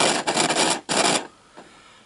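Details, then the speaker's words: Toshiba RT-200 boombox, just switched on before cleaning: harsh scraping crackle from the speaker as the volume knob turns, a scratchy volume potentiometer, which the owner suspects is dirt on the carbon track lifting the wiper arm. "scratchy um scratchy pot there potentiometer the volume it's the volume control"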